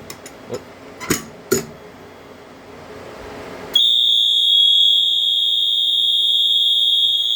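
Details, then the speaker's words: Silent Knight 5820XL fire alarm test, pull station activated: a few clicks, then two alarm horns sound together in a loud, steady, piercing high tone, a terrible combined noise with out-of-sync strobes; horns working. "so there they are as you can hear they uh the two of them paired together make a terrible noise"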